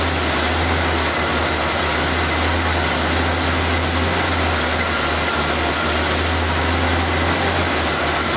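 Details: Engine started after refitting the valve cover, vacuum line clip, air filter and cover, to check for hissing air leaks; steady low idle with an even unchanging rumble and no hissing. Normal idle, no air leaks.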